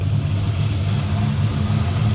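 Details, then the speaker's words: 1965 Impala with LS swap, cammed 5.3 V8 on base HP Tuners calibration just after first start, warming up: deep lumpy idle, steady loping beat, no ticks or knocks, no leaks; healthy. "Oh, that sounds nice. [Music] [Music] see anything running on the floor? That's a good sign."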